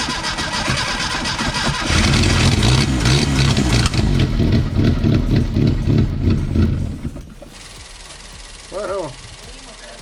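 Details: 1974 SEAT 127 three-door, parked since the 1990s, first start with fuel bottle fed straight into the carburetor (dry filter, tank line possibly blocked): cranks and fires, runs loud and lumpy a few seconds, then fades.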